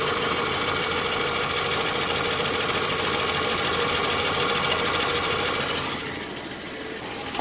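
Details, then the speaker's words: Dodge Dakota after oil pump and bearing replacement, 66 psi oil pressure: quiet idle with a quick, steady light clicking from the top end that persists after the repair; source not yet found. "let's see what she sounds like a little clicking the top is still there I got to figure out what that is"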